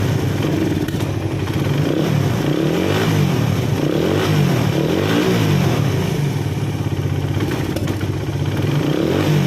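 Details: Suzuki Satria FU single-cylinder, with a worn timing chain, after adjusting the manual tensioner: revs up and settles in even waves with no top-end ticking or rattle; runs smooth.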